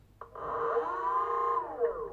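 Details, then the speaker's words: BLDC 6384 140kv motor on e-bike controller, phases swapped color-matched (yellow, green, blue) for forward rotation: whine climbs smoothly, holds steady, winds down evenly; quiet smooth normal run. "nice and smooth start up right quiet and smooth"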